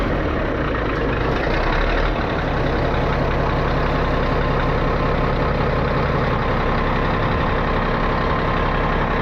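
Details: 637 scraper, long-sitting machine, after repaired switch reinstalled: heavy steady diesel rumble at idle, even firing with no knocks or rattles while tractor builds air pressure; engine sounds healthy.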